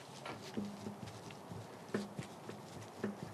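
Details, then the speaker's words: Three hollow dull clunks as the front wheel of a 1988 Chevy Silverado is rocked by hand during teardown: loose wheel bearing; castle nut suspected to spin off by hand. "wheel bearing is loose so uh I'm assuming that the castle nut that holds the wheel bearings on are just going to spin right off without any assistance"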